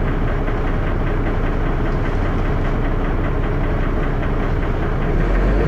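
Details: Dennis Arrow diesel bus (P423PVW) idling with a loud rough knock and lots of clattering thrash.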